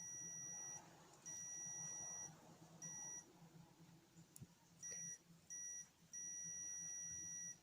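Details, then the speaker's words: Cordless drill trigger switch tested with a multimeter on continuity across its terminals: clean high beep while the trigger is held, silent on release; switch closing, though the owner finds it slightly intermittent. "When, as you can hear it now, it's not engaged. When I engage the switch, I get that bleep."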